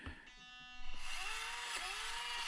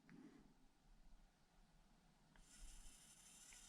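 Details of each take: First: Orlandoo OH32P02 1/32 Toyota crawler at minimum crawl speed with the stock Orlandoo ESC: a thin, high, wavering whine over the small motor, a noisy speed controller at low throttle. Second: Orlandoo OH32A03 Land Rover Defender 1/32 crawler with a Modellbau-Regler.de AS12/6RW ESC at minimum crawl speed. Only faint gear rustle and soft ticking, no electronic whine, unlike the noisy stock Orlandoo ESC. Quiet, normal running.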